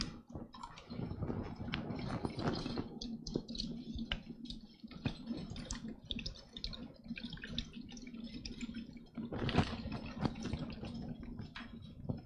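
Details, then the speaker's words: AMD gaming PC liquid cooler with factory-filled, non-refillable loop: quiet irregular gurgling and trickling over faint pump hum, sounding possibly empty; low fluid, clog or broken impeller suspected, not confirmed. "Stealth mode says it sounds like pieces of the impeller are floating around. Yeah, maybe. Samuel Kowalsski thinks it could be clogged. Could be."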